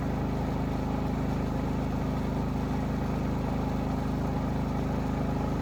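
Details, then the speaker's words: Predator 3500 inverter generator that only ran on choke and surged, after a clogged carburetor jet was cleared without removing the carburetor. Smooth, even low hum at constant speed with no surging; now running properly. "that little just going like that is going to completely fix the issue it's not going to Surge anymore"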